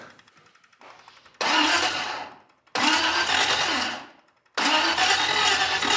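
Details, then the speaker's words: First start attempt on a secondhand engine with exotic carburetors, with fuel pressure present: three slow, laboured cranks, the starter sounding odd, and the engine fades each time without catching; slow crank, no start. "Yeah. It's cranking kind of slow. The starter sounds funny. It's not breathing life."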